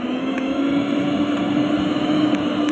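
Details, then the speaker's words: Mixer grinder motor run on mains through a homemade mixer tester after rewiring rotor switch and load switch: steady, even mid-pitched hum with smooth whir, no catches or grinding; motor runs normally. "ಬರ್ತಾ ಇದೆ mixer."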